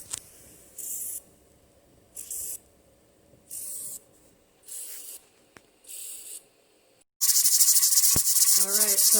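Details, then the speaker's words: Pressure canner processing chili at about 6–7 pounds of pressure: short hissing puffs about every second and a half, then a loud steady hiss as pressure builds; normal venting. "this is what it sounds like at about seven six seven pounds of pressure"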